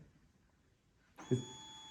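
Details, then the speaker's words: 2023 KTM 125/250/300 SX two-stroke power valve reset on the green map, wake-up connector plugged in, half throttle released after 10 seconds: silence, then a short electric buzz and a thin steady whir as the valve motor sweeps its travel; normal self-calibration. "Gonna hear the same process again, a little bzzz, and then some noises after 10 seconds when I let this thing go."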